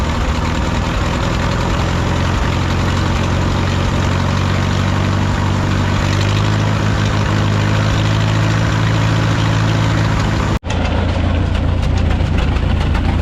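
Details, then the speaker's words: 1951 Farmall M tractor after rebuilt carburetor, new points and oil change, warmed up: steady low idle that stumbles with occasional pops; intermittent misfire and noise, not better warm, cause not yet found. "but it's still popping and missing every once in a while and it shouldn't be doing that"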